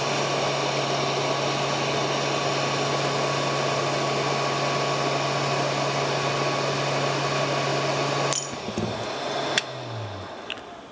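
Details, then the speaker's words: Donor radio board under hot-air desoldering: steady blower hiss with a low hum, then a single sharp crack near the end. A transistor or other component may have shattered from the heat. "Not sure what broke or whatever that was that made that noise. Looks like that transistor or something there might have shattered."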